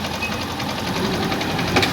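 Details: Honda CG Start 160 burning and losing oil, no visible smoke: fast even metallic knocking over the revving engine that follows the throttle, sounds like a con rod but is the piston skirt slapping; cylinder, piston and rings to be replaced.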